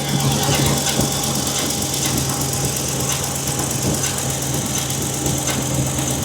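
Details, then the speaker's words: 2015 Chevy Silverado 2500HD, knock at start-up less than 200 miles after an oil change, worse after reversing and stopping: irregular light metallic ticks over steady idle, the starter drive rattling against the flywheel. "So, first of all, let's get this thing started, and it was making the rattle pretty good this morning."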